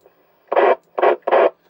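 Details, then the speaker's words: Optima MkIII radio after squelch fault repair, on-air test transmission: three short bursts of hiss, each cut off cleanly into silence, so the squelch opens and closes properly; normal squelch operation. "As you can hear, it's working just fine. Probably end up with somebody else coming back to me on that. So, yeah, that's it. All done finally. And squelch working just fine."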